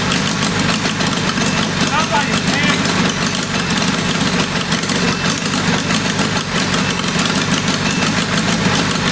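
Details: Military 4-cylinder go-kart engine of about 525cc, test-fired after fitting a 22 Mikuni carburetor: uneven, lumpy idle with stumbling beats and a ragged exhaust note that never settles; rough idle, ignition suspected but not confirmed.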